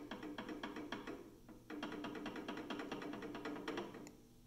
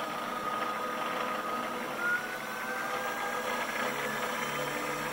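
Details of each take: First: PM-728V-T mill spindle running at speed: quick, light ticking rattle over a soft whine, from normal clearance between spindle splines and drive pulley splines. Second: PM-728V-T mill spindle on the high-speed pulleys at about 2500–2600 rpm, with an even quiet whir and a faint ring, no knocks or grinding; normal spindle running.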